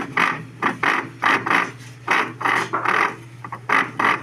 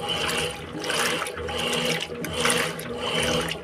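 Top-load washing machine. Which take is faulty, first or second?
first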